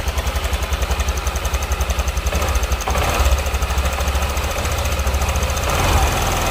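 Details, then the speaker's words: Honda Vario scooter at idle: coarse rough beat about three pulses a second with light clatter on top; worn cam chain tensioner, to be replaced. "Oke dan ini dia yang akan kita ganti ini adalah tonjokan keteng atau Tensioner"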